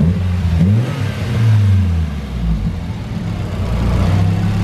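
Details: Nissan 240SX drift car on base-map tune after most boost leaks were fixed, running rich for safety: revs rise and fall smoothly then settle toward idle with a slight dip, tending to die at the bottom; idle recovery being raised, fuel trimmed.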